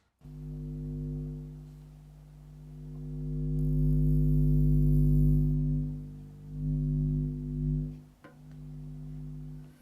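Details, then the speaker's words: Jamo D7 THX subwoofer, XLR input install test rig: low steady hum with buzzy overtones swells and fades as the small input transformer is moved; it picks up mains hum from high-voltage cables and mainly the main power transformer. "here it is the little transformer is picking up the noise from the high voltage cables but especially from the main power transformer"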